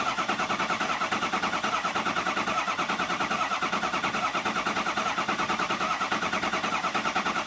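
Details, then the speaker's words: 6.0 Powerstroke diesel after EGR cooler and oil cooler install, cranked in rested bursts to prime: even cranking about once a second, tone changing as base oil pressure builds; normal. "We're about ready to get base oil pressure. You can actually hear the difference. So, let's see what this is. Hear the difference in the tone."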